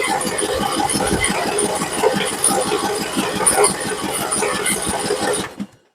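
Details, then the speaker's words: Free Troy-Bilt Pony riding mower, unknown history, cranked with choke on old bad-smelling gas: steady starter churning several strokes a second for five seconds, never catches; owner suspects stale gas of unknown age; crank no start. "but okay well it doesn't fire I mean the gas is probably you know like I said I have no idea how long the gas has been in there"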